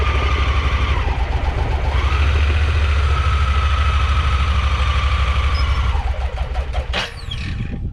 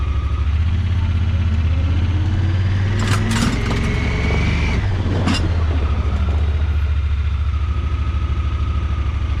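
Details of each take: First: Honda Pioneer 1000-5 side-by-side running rough, Sea Foam didn't help; in low and reverse the lumpy idle skips beats, then sags and dies; owner suspects spark plugs, says it only keeps running in high; misfire then stall. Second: Honda Pioneer 1000-5 side-by-side that was running rough, after spark plug replacement; steady, even idle with no misses or stumbles while backing up and moving forward; fixed.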